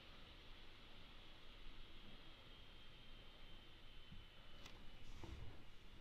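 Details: Alienware gaming laptop (m17 R4 / m15 R3 comparison) with fans at high speed: a steady airy rush with a slight high whine on top. Normal and nothing to be alarmed about.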